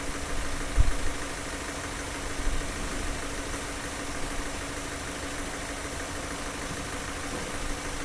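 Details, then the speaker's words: Car engine idling during fuel injector cleaning: a ticking "tuck tuck" heard at the start has gone; now an even, low idle with a soft steady hum; idles smoothly. "now you you notice the noise of the engine is getting smoother and smoother when we started we can hear the tuck tck tck tuck tuck but now it's a smooth"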